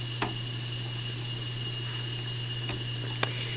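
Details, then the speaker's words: FSP 300-60GHA PSU, output capacitors replaced, under load with rails 11.93 V, 5.06 V, 3.33 V: constant thin high-pitched whine over steady low hum, faint hiss and clicks; coil whine, owner suspects more than the 12 V capacitor. "but still the fact that unit is still that unit's still making all that uh hista and squeal and all that crazy noise"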